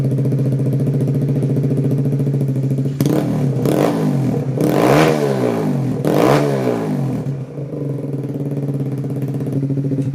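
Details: Kawasaki Z125 PRO after Dynojet Power Commander 5 install with O2 simulator, O2 sensor left in; steady idle patter, three quick blips picked up cleanly, drops back evenly. Normal idle and revving.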